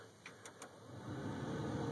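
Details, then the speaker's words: 2001 Dodge Ram 1500 after blower motor resistor replacement, ignition on, heat on second blower speed: a few light clicks, then a smooth airy whir that rises and holds steady; blower runs normally again. "let's fire up the heat and see if it works yep if you can hear that but that's the second blower speed that's the"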